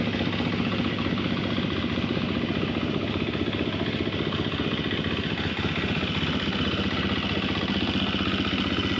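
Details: 2024 Gas Gas MC250F freshly rebuilt (Vertex piston, soda-blasted head, new starter idler gear, rebuilt starter): crisp, even single-cylinder beat holding steady, no knocks or rattles; healthy.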